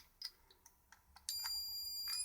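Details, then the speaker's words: Cheap electronic burglar alarm kit with an inductor-based oscillator: a few soft clicks, then a steady, piercing high tone starts and holds, quiet but oscillating normally with the inductor in this orientation. "it's not very loud I don't think a burglar's really going to be uh particularly bothered by that but it is oscillating I must have got lucky with this inductor then"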